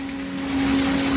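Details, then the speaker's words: Mastercraft 1/2 hp submersible water pump running at full power: steady mid-pitched motor hum with water rush, no rattles or grinding; normal running. "this is a good video for you guys to hear the noise especially in the [Music] bathroom"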